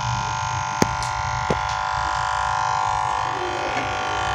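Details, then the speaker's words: DH Discovery DH20 700 W home theater just plugged in: steady buzzy hum from inside, not the speakers; transformer overloaded by shorted amplifier chip. "जैसे मैंने plug किया है देख सकते हो कुछ हमिंग जैसा साउंड"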